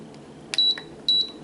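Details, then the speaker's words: Canon EOS Rebel S 35mm film SLR body in self-timer countdown mode: a short click, then crisp high beeps about half a second apart counting down to zero before the photo is taken; the self-timer works smoothly. "Ah okay There is the countdown it arrives at 0 and it will take the photo ready very smoothly"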